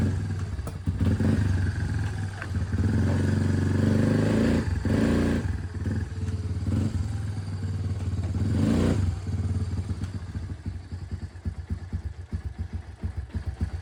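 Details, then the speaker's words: Lifted Big Red after 3 years of weekly hard mudding, test ride: rough engine drone with loose clunks and clacks every few seconds over bumps from worn bearings and a failing U-joint, which then snapped; bearings and U-joint to be replaced, fork rebuilt. "Well, here it sits. It's broken. We got a snapped U-joint."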